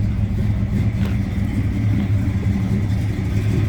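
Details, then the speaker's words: 1973 Plymouth Duster V8 with dual exhaust and Flowmaster mufflers, warmed up a little (cold-blooded), heard from the rear: deep steady burble with a slight lumpy lope from a mild cam; healthy idle. "Flip around to the back, so you hear it run. Tell it's got a little cam to it."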